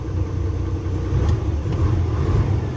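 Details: Isuzu 6WF1 diesel truck with a hard start and no fault codes, after replacing two PCV valves whose plungers had stuck, causing over-pressure: a deep, steady, even rumble with no knocks or stumbles; it now starts in one try and runs healthy.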